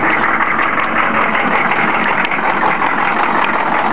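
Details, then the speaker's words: 1993 Chevy diesel pickup, just bought, at idle after starting: uneven, lumpy clatter with irregular beat, whole truck shaking, no smoke from tailpipe; rough idle, cause not yet found. "okay here is the video of the truck um starting up it seems to start up nicely but you can see oh maybe you can't see the whole truck shakes pretty decently"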